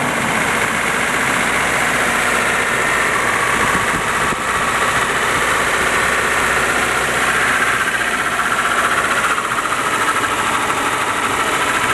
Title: 200sx Engine Knock Possible VVT Cams Spray Bar, etc